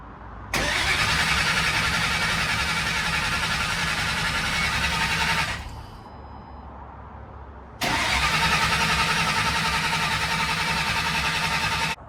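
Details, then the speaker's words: 2008 Mustang GT with early S197 Coyote swap on control pack and trimmed 3V harness: starter cranks in two long even bursts, about three and a half turns a second, never firing; fuel pressure present, crank trigger wheel missing, no crank signal. "as you can see this thing was just cranking and cranking pulled the fuel line add fuel pressure at least uh to our surprise and uh what do you think happened here Tristan why it's not firing off"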